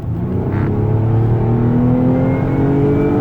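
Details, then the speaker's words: 2011 Nissan Maxima SV 3.5L V6 with CVT, 156,000 miles, pulling hard on acceleration; thin rising whine climbs with revs over the exhaust note, described as supercharged-like; source not identified. "Can you hear that whine? Oh yeah, this car picks up good too."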